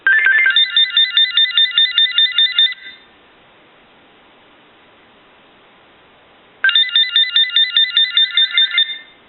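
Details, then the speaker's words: GE 6.0 cordless telephone on initial bench checkout with the handset opened up: the piezo buzzer sounds, giving bursts of rapid high warbling trill about two seconds long with four-second gaps, clean and steady. Ringer and buzzer are working normally. "but now we want to go ahead and bring the unit and we want to make sure you hear the piezo buzzer here"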